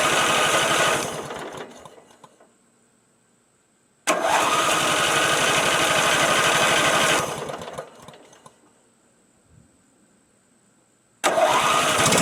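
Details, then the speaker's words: Craftsman L9 lawn mower (Briggs engine) after diagnosing and replacing the starter with a new aftermarket unit: three bursts of strong, clean cranking with no grinding that catch and run briefly before dying away; normal cranking and start. "Well, we have the brand new starter installed, and we shall see how she does."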